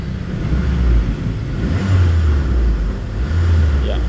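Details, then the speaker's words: Small car that stalled on the road, after fuel pump replacement: it starts immediately and idles with a smooth low rumble, taking a couple of gentle revs cleanly without stumbling; the fault was only the fuel pump. "Sekarang coba kita hidupkan. Bismillahirrahmanirrahim. Alhamdulillah langsung hidup. Oke, langsung hidup."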